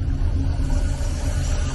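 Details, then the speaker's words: 1998 Chevy C1500 extended cab, 5.7 Vortec after the LS coil conversion with 24x and 0411 PCM swap, running the stock F-body tune untuned: deep, lumpy, loping idle that chops like a big cam. It is rough, pending a tune. "It sounds like it's chopping, boy. It sounds like I have a fat cam in it."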